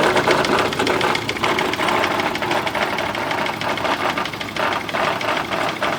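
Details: Nearly new Yamaha F70A outboard that began knocking after reverse was engaged at full speed, run without its gearcase with an oil pressure gauge fitted: a fast, regular metallic knock over the running engine, cause not yet identified.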